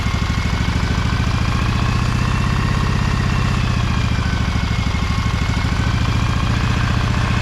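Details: Briggs & Stratton Vanguard 23HP V-twin, low throttle, choked: smooth, even low-speed beat with no stumbles, rattles or hunting. Healthy, clean idle.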